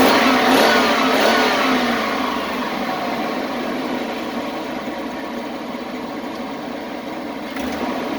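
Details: Chevy Express 3500 after fixing its misfire: even engine note eases back smoothly with no stumble, pop or skipped beat; now running cleanly on all cylinders.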